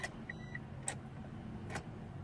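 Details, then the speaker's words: 1995 Mitsubishi Eclipse GST manual, owned a week, suddenly won't crank after an oil change; three batteries tried: key gives only faint sharp clicks about a second apart, no cranking; owner suspects starter, relay or fuse. "shown nothing shown I don't know I just hear a clicking sound inside here I don't know what's going on"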